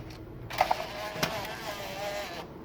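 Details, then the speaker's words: 1999 Pioneer CDX-M2116 12-CD changer, after freeing a blocked disc, closing the door: a couple of sharp clicks, then a smooth two-second motor whir as the disc draws in cleanly, so loading is normal. "It's taking the disk. So it's good."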